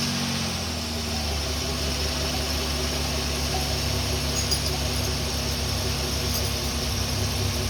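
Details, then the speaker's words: 2008 Pontiac Torrent with random dying, after ECU swap: engine catches and settles straight into a steady, even idle with no stumble, miss or dip; normal idle, owner thinks the ECU swap fixed it. "there you go you can hear it running runs nice and smooth no problems with that"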